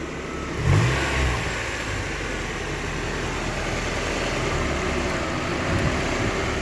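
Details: Petrol car with brand new alternator and belts: engine idles unevenly, revs sagging as if about to stall then picking back up; unstable hunting idle.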